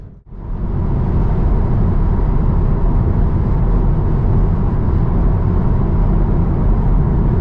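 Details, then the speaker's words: New 2024 Tesla Model 3 Highland, standard range, in-cabin at motorway speed with new sound dampening, quieter than a 2019 Model 3 Performance on low-profile tyres: smooth, even low rumble with no hum, whine or knocks; normal cabin road noise at motorway speed. "that and I've got to say there's really not much road noise here a mixture of the new um sound dampening"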